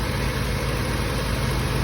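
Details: Old Toyota Corolla pushrod engine, one cylinder acting dead: low uneven lumpy idle chug while fuel floods from cylinder; owner thinks excess fuel fouled the plug, after which it ran fine.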